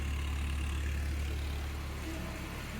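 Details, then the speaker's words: 1994 Toyota Previa LE supercharged AllTrac, after new rebuilt fuel injectors chasing P0171 lean code: steady smooth idle heard from rear, smoother than before, no fuel leaks or exhaust smell. "that's smoother no fuel leaking down in there no exhaust smells"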